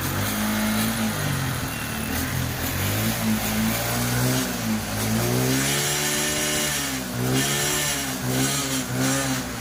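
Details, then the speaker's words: TVS XL100 BS6 after new head/camshaft set and ECM replacement, fault cleared, earlier complaint of starting but no pickup: a small engine revs cleanly up and down with no misses. Normal running and revving, pickup better than before. "சூப்பராக இருக்குது வண்டி பார்த்தீங்கன்னா."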